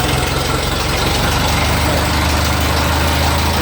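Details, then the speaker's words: Ferguson TE20 converted from 6V positive-ground generator to 12V negative-ground alternator, with a fabricated L-shaped flat-bar bracket to stop the alternator wobbling: loud, even low chug at a smooth idle, no knocking, alternator wobble much reduced. "now you should be able to see that it's not that it doesn't wobble anywhere near as much"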